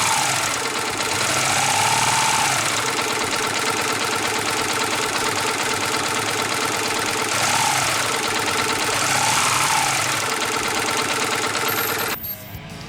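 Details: Yamaha New Vixion motorcycle at idle: light, fast tick about three per second over the idle, an unexplained ticking whose source is not yet confirmed.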